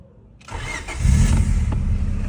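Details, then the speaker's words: Honda Civic with a damaged, squealing belt, steering fluid applied as a temporary quick fix while the new belt is awaited: quick crank, then a smooth idle with no belt squeal on startup; noise will return once the fluid dries. "Diba? Nawala. Nawala yung ingay. Yan yung quick fix."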